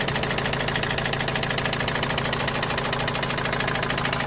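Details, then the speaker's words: Opel Vivaro/Movano common-rail turbo diesel, parked after noise began two to three weeks ago, oil leaking: hard regular hammer-like knock about three per second over idle; source unknown. "نعرف منين الصراحة، صوت مثل المطرقة يعني."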